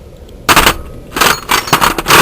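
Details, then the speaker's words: Peugeot 106 1.1 just after a head gasket change, with the downpipe bolts left untightened and one missing: loud, rapid, irregular popping chatter from the leaking exhaust joint with every pulse, plus a misfire. "okay the bolts on the downpipe haven't been tightened up here I say they haven't been tighten up"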